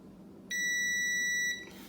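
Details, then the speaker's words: Multimeter set to continuity, about to test the thermal fuse, high-limit thermostat and heating element of a Samsung DV40J3000EW/A2 dryer that is not heating: one clean, steady high-pitched beep of about a second confirms a closed circuit. "Okay, so now, whenever I test these, I'm gonna get this untangled, and I've got continuity, it'll make this sound."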